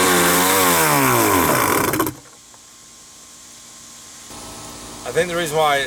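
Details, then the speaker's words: Wave Raider jet ski two-stroke with new spark plugs, started on starting fluid: screams at full throttle, then cuts out and falls silent instead of idling; runs wide open but won't idle, cause not confirmed. "i thought they told me that i could literally hold it full throttle and run but then it wouldn't like idle let me do that right quick we're gonna run it full throttle for a minute"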